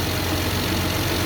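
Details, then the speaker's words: 2001 Mazda 626 2.5L after fuel injector replacement: smooth steady low idle, no stumble or sputter, vacuum near 20 in (was 18), previously sputtered on revving; idling normally. "All right. So, sounds like it's idling pretty well."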